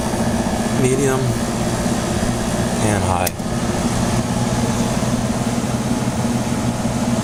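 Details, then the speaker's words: Emerson Quiet Kool 6300 BTU air conditioner on cool, low fan: constant low rumble under the airflow hum, attributed to a worn fan motor bearing; the fan is quiet at first and gets louder over time. "fan motor is pretty quiet at first but it gets louder after a while with that compressor sounds great probably hear that rumbling coming from the fan motor bearing"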